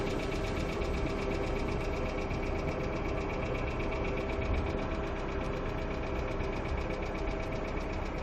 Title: Стук гидрокомпенсаторов Hyundai Accent II